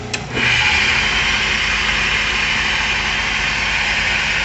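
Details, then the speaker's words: Motor on an old Burke horizontal mill being set up in a new shop, ground out so the belt clears, tested on a converter: brief start-up thump, then an even steady hum with no knocks or grinding across speeds; works fine now. "zooming right along goes down to [Music] I guess that's probably about 30 RPM all the way up to 10 I don't know what that is works fine now"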